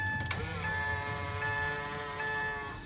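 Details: Genuine power-folding side mirror installed on Isuzu All-New D-Max 2.5 VGS Z; short steady electric motor whir ending in a clean click at the stop; mirror folds normally.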